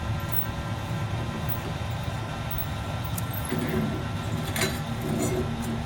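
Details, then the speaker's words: Newly welded Jer Schmidt belt grinder on a used motor, test run, not yet ready to grind: even, steady motor and belt rumble with no thumping or slapping; runs smooth, belt tracking properly. "Do a little test run. It's not ready to grind really, but it's running. Got the belt tracking properly."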